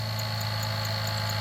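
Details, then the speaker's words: 2006 Jeep Liberty 3.7L V6 at idle: constant low hum with a fixed growling, grinding undertone. The alternator bearings are failing although it still charges. "That is the bearings in the alternator beginning to fail. The alternator is still charging, but the bearings in it are beginning to fail."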